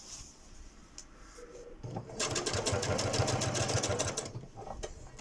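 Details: Janome Memory Craft 6700P sewing a straight stitch on a curtain at medium speed: quick, regular clacking with rough grinding underneath, knocking in the hook/shuttle area. Cause not yet found.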